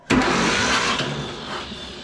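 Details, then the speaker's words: John Deere B tractor, spark plugs removed, in neutral with clutch out, no fuel yet: short starter bump spins the engine freely, air puffing from the plug holes, no binding or compression strokes. "well hey it works so I can hear it spitting out the spark plug hole down there"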